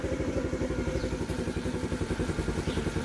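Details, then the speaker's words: TaoTao 50cc Chinese scooter after new float: uneven stumbling putter about four pulses a second, won't idle, bogs down even at full throttle, sputtering and about to die; owner unsure of cause, plans replacing the carburetor. "it's it's sputter and it's about to die yeah it's just it's dying on me and I it wasn't doing that when I first got it fixed"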